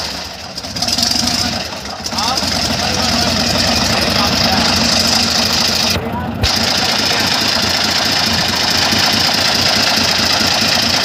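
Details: Airboat engine, still cold: loud, uneven run with a loose chattering rattle, breaking up. Crew questions blade over-pitch; possibly a fuel mixture problem, unconfirmed.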